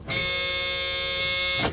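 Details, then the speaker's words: Flood-damaged non-running vehicle at a salvage auction, water sat in the engine for years, key on with clutch in and brake pressed, no crank. A steady high electric whir runs about a second and a half, then cuts off; fuel pump priming. "I got the clutch in, brake pedal depressed. Nothing. I heard the fuel pump."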